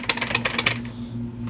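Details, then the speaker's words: 2002 Polaris Sportsman 700 4x4, transmission has slack: quick bursts of sharp metallic clanks when going full throttle then letting off or downshifting; driveline clunk, owner unsure of cause, plans to check fluid. "I can hear it when I'm like going full throttle, let off throttle. It has a like a clanking, like a little sound, you know, every time I downshift, or"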